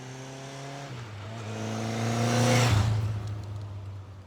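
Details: Newly restored 1983 Kawasaki KZ750 Spectre four-cylinder, after carburetor work, on a ride-by: smooth even note climbing as it passes then fading, no misses or knocks; healthy engine pulling cleanly.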